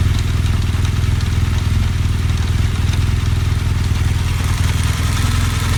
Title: GS Adventure strange noise